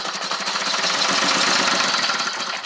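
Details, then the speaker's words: 1978 Jaguar XJ6L after 25 years sitting, fuel system and pump not yet cleaned, put in gear and moved in the driveway: uneven, lumpy running with irregular chuffs, no steady beat; rough running, struggling. "Put it in gear. Alright, well, kind of running. It did move."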